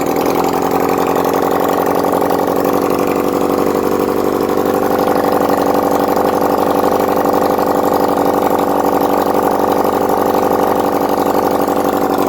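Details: 1971 Honda CD175 K3 twin under restoration, running on a small amount of fuel put in the carburetor, oil reaching the head: brisk, fairly even idle around four beats per second, no misses or knocks; normal healthy idle.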